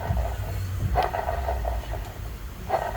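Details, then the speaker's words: Dodge Charger getting a replacement engine, with the customer's old idler pulley and tensioner transferred over: spun by hand, the tensioner gives a rough, gritty rumble with light clicks from a worn bearing. "Yeah, she gonna think a brand new engine is noisy. This is noisy, and I want a new tensioner, but she won't pay for that."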